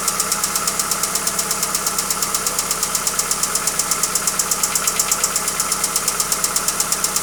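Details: Hyundai Accent engine at steady idle with a sharp, even metallic ticking about three times a second; engine knock, cause not yet found.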